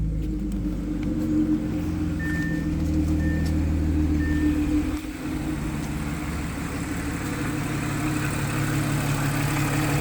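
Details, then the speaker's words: 2012 Audi A6 C7 3.0T after installing new low-pressure fuel pump for a warning code: starts after fuel system pressurizes, smooth quiet idle with soft hum and faint electrical whine, no stumble; normal idle. "all right now we're going to start it 'll take a little minute for the pressurize there we go"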